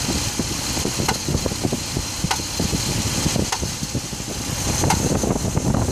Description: I have a 2006 dodge ram 1500 5.7 engine knocking noise. Need some help identifying the noise. It only happens when the block is cold and engine light does not come on